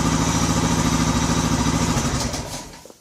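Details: Odes 400 4x4 ATV that had not run in years, after a no-start fix. Single cylinder idles with an even, steady beat of about three pulses a second, then is shut off; runs cleanly.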